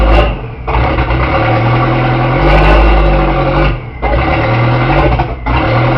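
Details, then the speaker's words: 1981 Porsche 931 turbo, running after the distributor and rotor timing was set: loud, raw rasp much louder than stock that swells and drops with each throttle blip, with turbo audible; exhaust leak from a holed exhaust. "It's really loud because it's got a Holy exhaust. I can hear the turbo, which is really cool."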